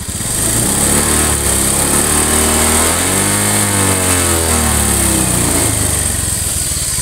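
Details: Honda Beat FI (K44) injected scooter losing oil with no visible smoke: repeated revs turn harsher and rougher as rpm climbs; worn piston and rings.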